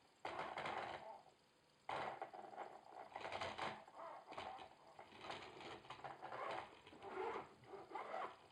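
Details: Logitech Driving Force GT wheel, second unit (first returned for the same noise), game sound off, at the demo's maximum force feedback strength: irregular bursts of dry, fluttering clatter surging with force pulses, as if everything inside is loose; cause unconfirmed.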